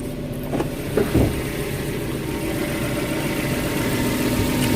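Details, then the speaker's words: 2013-built Suzuki Carry Futura 1.5 pickup with about 53,000 km, idling with the engine bay open; the engine is dry and said to be smoke-free: steady, even idle with a constant low hum and no odd noises, knocks or ticks. "Ini mesin ya, mesinnya kering. Suaranya juga halus, suara mesin halus, tidak ada noise yang aneh-aneh ya, ada suara yang aneh-aneh."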